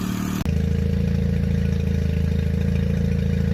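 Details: 2002 Mercury 9.9 hp four-stroke Sailpower outboard, carb cleaned and idle and mixture readjusted; it normally idles fine but dies when throttled from idle: steady, even idle with a smooth low beat, no misses or surging.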